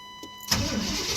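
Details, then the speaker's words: 1993 Chevrolet truck after replacing the ignition module under the distributor to cure a no-start: a quick crank, then the engine catches cleanly and settles into a steady, even run with no misses; starts and runs normally after repair. "Been replaced. Got it cranked up and running. This is a 93 Chevrolet truck. Sure. Now that it runs after putting that module in there."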